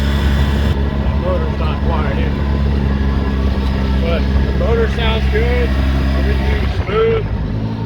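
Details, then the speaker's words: 2013 Polaris RZR 800S, warmed up, first ride after Rev6 cam replaced a faulty cam, recorded in the cab with metal doors: loud but even, smooth engine note with no knocking or ticking; normal running. "all right here we go especially with these metal doors it's uh it's definitely a little loud"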